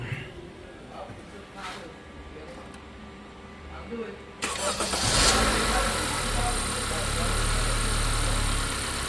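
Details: 2015–2017 Honda Accord 2.4L, first start after replacing a starter that took multiple tries to start with a Bosch SR1355X; one short crank, catches at once and settles to a steady even idle; normal start and idle.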